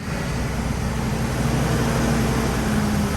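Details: Totaled 2006 Ford F-350 V10 with under 6k original miles, first start after rebuild with the check engine light on. A steady, even low rumble with no knocks, misses or ticks; it idles smooth and healthy.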